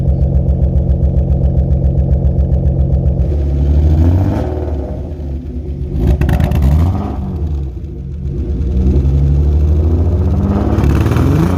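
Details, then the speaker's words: BMW E36 idling warm-up with loud, raspy exhaust and rev blips after exhaust leaks fixed; deep rumble passing unmuffled because the muffler is blown, new one on the way. "Muffler's definitely blown. But New one on the way."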